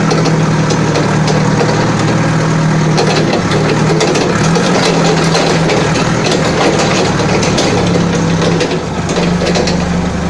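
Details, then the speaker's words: Balkancar diesel forklift after repair, with engine, clutch, brakes and running gear overhauled. Steady, even idle with a low, smooth rumble and no knocks or misses; the engine sounds healthy. "Ну так живой, да, состояние? Я смотрю, вроде свеженький погрузчик. Так что еще послужит хозяину, ох, верой и правдой."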